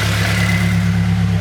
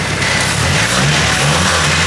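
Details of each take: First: Nissan Silvia S14 SR20DE naturally aspirated engine just turbocharged, first startup, can't rev past about 3000 rpm: steady even low rumble at idle, no knocks, ticks or hiss, quieter than before with the turbo; no leaks so far. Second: Nissan Silvia S14 SR20DE with newly fitted turbo (stock DET manifold, GT2860RS), first start: engine revs in short pushes but falls back, won't get past about 3000 rpm; cause unclear, but notably quieter than before.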